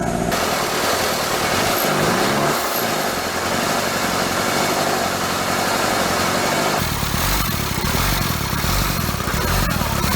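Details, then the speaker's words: Toyota Land Cruiser 3B 3.4 L naturally aspirated diesel from a 1981 BJ60, out of the vehicle after sitting six or seven years, started on glow plugs with air bubbles still in the fuel line: harsh, loud clatter at a steady, even idle through an open exhaust; normal diesel idle. "okay and carter yeah she started up feed her a few more there's still some air bubbles in here obviously but she's gonna go just like that these three bees never fail just give them some glove plug and fire off"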